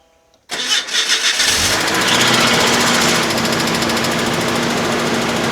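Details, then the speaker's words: 1994 Nissan pickup after new gas tank and fuel pump install and lines blown clean: brief crank, then it fires at once and holds a smooth, steady idle without stumbles or misses; running fine. "there it is running good make sure we ain't got no leaks"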